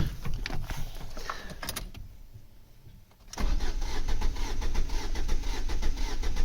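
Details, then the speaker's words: 2004 Ford Focus petrol with a misfire, cranking during a relative compression test with a 600 A current clamp: a lopsided rhythm where one compression stroke in four is lighter, showing low compression on one cylinder. "don't know if you can hear that but it does sound a bit off feet and we'll pause that come back a bit and we can zoom in here to a few different um revolutions and you can see this quite obvious dip here we've got one two three nothing then one two three nothing so we've got a low compression on one of the cylinders"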